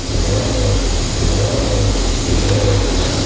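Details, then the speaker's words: Ford Fiesta ST180 first start: steady raised idle with no dip or hunt plus loud air noise, from a completely snapped-off pipe fitting on the inlet manifold causing a big air leak. "it runs we know it runs that massive amount of noise of air is coming from where our torch now where's my torch I don't know where massages anyway that there's a pipe fitting that pipe there well you see it's completely snapped off that is what we're hearing all that n"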